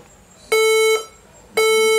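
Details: HP ProBook 440 G7 laptop on charger with battery isolated: repeating long half-second mid-high beeps about once a second at startup; fails startup check, battery ruled out, RAM next suspect.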